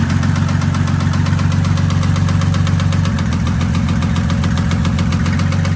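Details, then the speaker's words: 1984 Mercedes 190D drag car with built 1998 OM606 turbodiesel (H-beam rods, S364.5 turbo), knocking after last full pull: hard regular knock about three times a second at idle; oil filter later full of metal shavings, apparent oil starvation. "what we find in here is the answer to our problems. A whole lot of metal shavings. So I'm not really sure how that ended up being. It looks like an oil starvation issue, but that's kind of weird."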